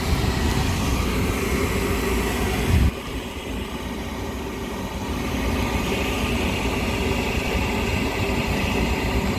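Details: Lennox rooftop gas heating unit right after heat exchanger replacement, heat call run from the controller's service test with supply air blocked off: steady, even roar of blower and burners, no rattles, bangs or surging; lighting and running normally.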